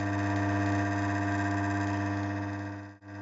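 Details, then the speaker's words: Three-phase motor on a bench grinder run with a far oversized capacitor hums and vibrates loudly, heavy harsh buzzy hum; calculator gives 25 µF as correct, though it spins freely by hand. "так вот будет как вы видите на двигателе стоит конденсатор 4 53 фарада при этом двигатель очень сильно шуметь вибрирует"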